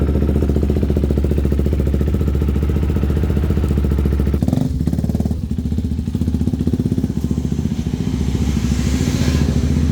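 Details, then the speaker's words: 2019 KTM RC 390 after long storage, jump-started and left idling to charge a weak battery (may need replacing): a steady, even single-cylinder idle beat with no knocks or misses. Normal idle. "വണ്ടി start ആയി ഇനി കുറച്ചു നേരം ഒന്ന് starting തന്നെ ഇരിക്കട്ടെ കാരണം ആ ബാറ്ററിക്ക് ചാർജ് കേറുകയാണെങ്കിൽ കേറട്ടെ"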